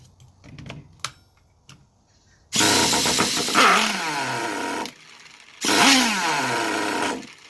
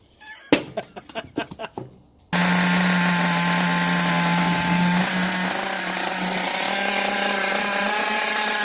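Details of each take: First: Traxxas T-Maxx 2.5 RC nitro engine, glow plug heater on, being revived: buzzy engine fires, revs briefly, pitch sags and dies, twice; won't hold idle, owner suspects the idle setting. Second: Traxxas T-Maxx 2.5 nitro RC engine, started with a starter powered by a 2S LiPo pack and some throttle: handling clicks, then a high, steady buzz easing slightly lower and running cleanly; normal running.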